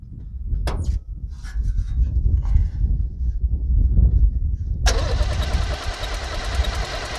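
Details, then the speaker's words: 1978 International Scout II with a Nissan SD33 diesel that sat over 20 years, cranked after 8–9 s of glow plugs: steady cranking at about four pulses a second and it never fires. The owner suspects too little fuel pressure to pop the injectors, possibly the injection pump. "yeah it's hard to say if we're even getting enough fuel into the injectors it might not even be enough pressure to pop them"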